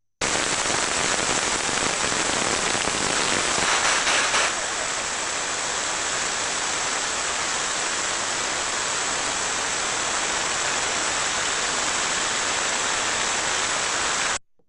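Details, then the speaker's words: Bearing heard through an ultrasound probe while being greased: rough steady friction hiss that drops in decibel level after about four seconds as grease is injected; bearing friction reducing with lubrication. "alors celui là vous allez bien entendu les faits donc de l'injection de grèce qui fait diminuer le niveau de friction est donc là je vois l'intensité un décibel diminuer"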